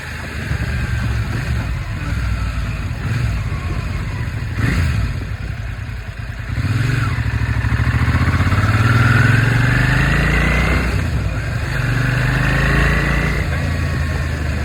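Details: Slightly knocking 2003 Suzuki SV650 naked V-twin idling and blipped, a light, uneven knock riding over the exhaust beat; suspected slight rod (bottom-end) knock, unconfirmed; second of four clips.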